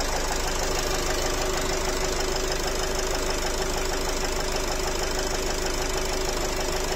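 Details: Nissan X-Trail 2.0 dCi diesel at idle: a sharp, uneven tapping knock about twice a second over the diesel clatter, like a piston knock, smelling of unburnt diesel, gone after revving; cause not confirmed.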